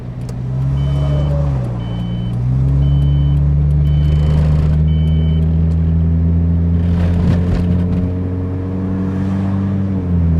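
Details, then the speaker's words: 1995 Ford Probe automatic on a highway road trip, after stalling trouble and a restart: engine drone rises and drops at clean shift points then settles to cruise; transmission shifting normally again and odometer working. "little girl you're shifting again and the odometer is working again"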